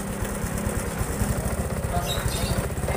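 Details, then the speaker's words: Honda Supra 125 FI motorcycle, spark plug already checked and ECU reset tried, after tightening: still slightly rough, limping uneven idle that stumbles irregularly, though it now idles where before it would not; another ECU reset planned. "Oh, masih rada macet-macet dan pincang, kita reset dulu. Nih. Kita reset dulu aja, suaranya belum enak."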